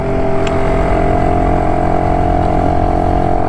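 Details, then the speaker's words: BSA D7 Bantam two-stroke under restoration, on a ride after tuning and timing work: loud drone under load that never pulls cleanly, struggling at full throttle; owner suspects the carburettor, cause unconfirmed. "it still doesn't like Full Throttle is so there's still something something a Miss with the um there's still something I miss with the old"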